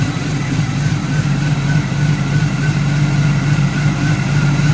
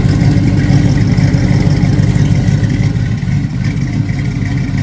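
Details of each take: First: Driveway LS V8 swap with short-tube headers: deep, chunky idle with slight cam lope, steady and even, no knocks or ticks; running fine, slight exhaust leak noted. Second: LS-swapped vehicle with short-tube headers, started cold at idle: deep loping V8 idle with a slightly uneven beat of about three pulses a second from an aggressive cam; a slight exhaust leak is noted.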